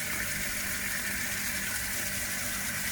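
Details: Water pump feeding a shower, previously cycling on-off, after wiring a flow switch in parallel with the automatic pressure switch; continuous rushing water with steady pump hum and no clicking or pulsing, pump now runs steadily without cycling.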